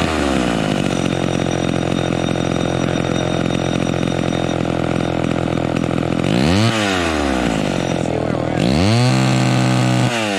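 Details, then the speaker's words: Homelite XL12 vintage chainsaw held wide open during high-speed carburetor tuning: screams clean and smooth with no four-stroking burble; high-speed screw turned in too far, too lean, needs backing off until it slightly four-strokes. "so did you hear that so we turned it in until it was singing super smooth with no blubbering but that's too that's too lean"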